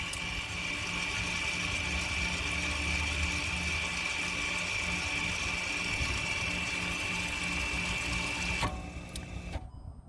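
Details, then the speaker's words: Audi Q3 rear brake pad job, electronic parking brake put into service mode with an Autel MaxiAP AP200 (voltage above 12 V): steady high electric whir about eight seconds, then clean cutoff, as the motor releases the brake normally. "was actually the motor going off. It was actually releasing the parking brake."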